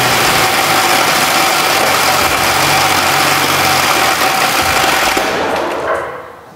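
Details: Engine run with a steel ball dropped into a cylinder, previously hard to turn over; harsh clattering rattle at high revs, then dies fast as it seizes; debris wrecked the piston.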